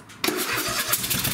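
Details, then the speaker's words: Craftsman lawn tractor with a Kohler 26 hp Courage engine, before a coil conversion kit: uneven, lumpy beat with every other pulse missing because one ignition coil gives no spark; running on one cylinder. "so as you heard there doesn't sound quite normal you can tell it's running on one cylinder"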